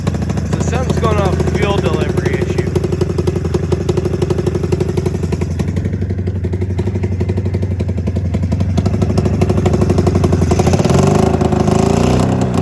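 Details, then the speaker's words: 27-year-old Mountain Cat snowmobile two-stroke after coil replacement, fuel delivery or float problem suspected: choppy, uneven popping with one cylinder running and the other barely sparking and guzzling fuel; running on one cylinder, cause unconfirmed. "you see that one that one seems like it's running but this one on the other hand just seems like it's freaking just it's got a little spark every time and it's just freaking guzzling"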